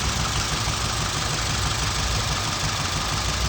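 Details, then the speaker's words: 2007 Scion tC petrol engine idling and shaking hard with check-engine light on; misfire traced to ignition coil, unplugging this one brings no change in sound or engine movement, showing it is the failed coil; uneven, lumpy low thrum. "no no se escucha nada ni el motor hace algún movimiento diferente entonces este es el que me está fallando"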